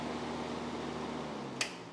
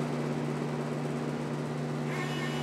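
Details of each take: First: Untested auction Miller CP-300 welder, shell off, wire feeder not attached, first plug-in: faint steady fan whir starts on its own without the switch, then a click and the hum trails off; switch possibly backwards or normal. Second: Miller CP-300 welder with new MIG gun and .045 tip fitted: wire feeder jogging at slow and fast speeds gives a steady low motor hum, even pitch, no catching or chatter; feeding works well.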